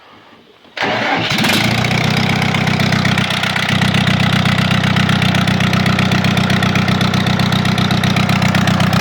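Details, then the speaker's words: AGCO Allis 5680 diesel tractor, cylinder 1 misfire: loud, lumpy, uneven idle after start with one cylinder missing; good fuel flow to injector but fuel not burning, steam from the port. Owner suspects head gasket or bad rings. "I think we've got a head gasket problem or some bad Rings or something show you what we got going on be awful loud with the uh engine running here but I'll show you real quick"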